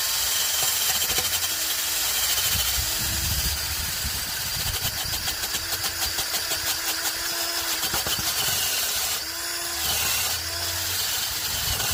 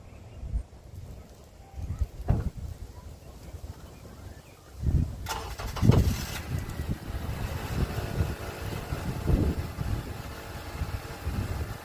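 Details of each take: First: 2006 Honda Accord with a rusty exhaust and a bad leak, before its MIG weld patch: the engine starts and idles with raspy, hissy puffing throughout. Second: 2006 Honda Accord after rusty exhaust leaks were patched with a flux-core MIG welder: a low, soft exhaust rumble with a regular pulse and no hiss or puffing; normal, sealed exhaust note.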